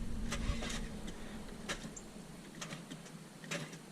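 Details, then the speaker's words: 1997 Saturn SL2, key turned in the car: several faint sharp clicks about a second apart with no cranking; starter intermittently failing, connections believed fine, starter to be replaced. "you can hear the clicking that's the noise that we're after so the starter is intermittently failing right now"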